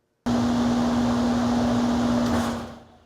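Loud, steady fan rush over a strong constant hum, a noisy older condenser running, though no specific fault stands out. Cause suspected, not confirmed.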